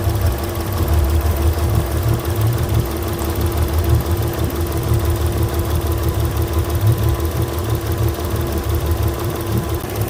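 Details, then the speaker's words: Yamaha outboard (port engine) on Pursuit 385, after swapping injectors between cylinders two and six: lumpy idle stumbling about three times a second, still missing; cylinder six dead, suspected lost coil signal. "six here still not do nothing that makes me think maybe we've lost a signal to our coil here"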